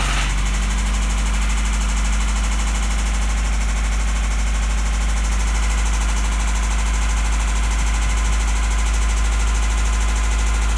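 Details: 1993 Toyota Celica with a 5S-FE petrol engine, started and idling after sitting for 5 months. It was previously run out of oil. A deep, steady rod knock sounds under a busy valvetrain clatter.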